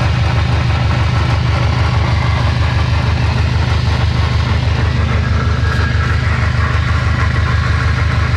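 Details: Subaru STI 6-speed on stands after loud drivetrain noise: heavy rhythmic low throb about three beats a second from the driveline; gearbox or transfer case bearing failure suspected, not confirmed.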